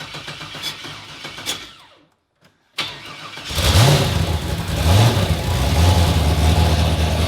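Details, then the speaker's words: Project Red Dragon, rebuilt 370 cubic-inch LS turbo engine, first start after over a year: cranks briefly, catches with a sharp bark and settles into a loud, lumpy, steady idle; healthy first start. "Turbo power, bitches! That is music to our ears."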